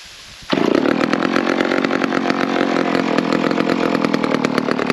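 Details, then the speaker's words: McCulloch 10-10 chainsaw, one of the 10-10s acquired in 2020, just cleaned of dirt and gunk out of the recoil and primed: fires on the first pull and settles into a steady, even high-revving buzz with no misses or surging; runs and oils well. "all right well that's another one running the Oilers pretty well"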